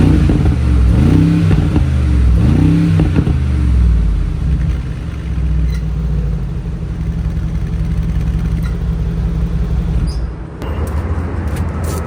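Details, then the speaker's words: 2020 Mercedes G63 AMG V8 warm start with newly installed FI axle-back exhaust, comfort-mode revs: catches and settles, light blips rising and falling smoothly over a muted burble; healthy. "So, we're going to start it up for you guys. I'll do some comfort revs and then I'll put it in sport. See if the valves open."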